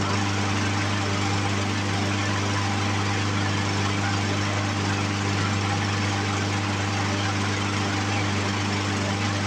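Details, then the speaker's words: Poulan Pro push mower with a Briggs & Stratton 550EX engine, after a carburetor cleaning: it starts on the first pull and runs with a steady, even drone and no misses; the carburetor issue is fixed. "first pull, much better than it was. And let's try to restart it without primer. Okay, so safe to say that we have fixed our carburetor issues that we were having."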